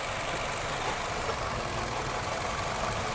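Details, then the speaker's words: 2006 Nissan Altima misfire diagnosis at idle: loud, uneven idle with a stumbling beat from a dead cylinder; the test light shows no spark on that cylinder, and swapping coil packs confirms a bad coil pack. "there's no fire on the cylinder here and this one has fire all right guys by checking the coil packs that way we know we're getting the correct signal to each cool pack it's just going to be a bad cool pack"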